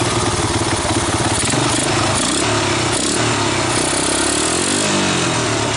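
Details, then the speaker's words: 1985 Honda ATC250ES Big Red single-cylinder after carburetor swap and adjustments, warmed up, choke off: even, steady idle, no misses or stumbles; valves untouched; not a bad idle; normal idle. "it's not bad not a bad idle chokes off warmed up at this point yeah it's not too bad"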